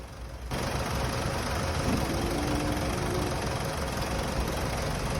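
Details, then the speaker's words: Mitsubishi Montero 4D56 diesel, formerly noisy with a ticking knock traced to a faulty flywheel, now restarted after repair; steady, even idle clatter with no extra ticking, running normally. "wala na po tayong narinig mga boss na lagitik sa kanyang makina yun lang po ang sira mga boss ang kanyang flywell"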